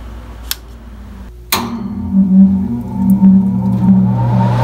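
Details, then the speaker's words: American furnace blower motor in a home A/C system whose lines iced over, after replacing a cheap failed part: a click, then a low steady hum builds and holds with no knocking or scraping; blower running normally. "I could hear it come on from upstairs, and sure enough, and it's blowing."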